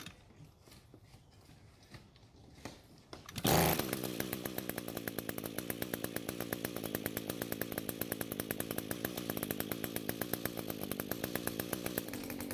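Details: String trimmer that had spark, compression and fuel but wouldn't start, now fixed after replacing a suspected bad coil, fuel flow confirmed via primer bulb, carb untouched. Fires after a few pulls into a crisp, steady two-stroke buzz; runs normally.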